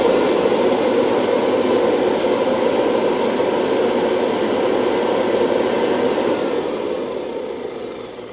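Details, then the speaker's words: Hoover Convertible upright vacuum after bearing service and greasing; steady even motor roar that then winds down; normal running. "right okay well I think we're okay we run it one more time"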